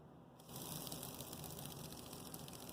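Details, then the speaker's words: Rebuilt Bachmann GP30 pancake motor running with a quiet steady whir and faint fast gear clicking, which is normal. Gear faces were sanded and lathe-smoothed after two cracked, gears were shimmed with thrust washers, and the gears look good. "You can hear the little clicking sound, but that's not bad because if you're looking at the gears, they're looking really good."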